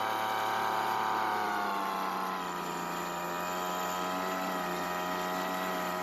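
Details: Recently bought Weedeater two-stroke leaf blower that wouldn't start, fuel lines recently replaced: settles into fairly steady buzzing idle with no stumbling or surging; running normally.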